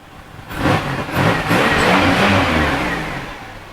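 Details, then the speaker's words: 2003 Monte Carlo SS, not yet at operating temperature, needing an oil change: two quick blips then a smooth rise and fall in revs with clean pickup and no knocks; normal revving. "but she runs strong like what can be the problem let's add some maintenance it's gonna need oil change come up it runs strong y'all hear that"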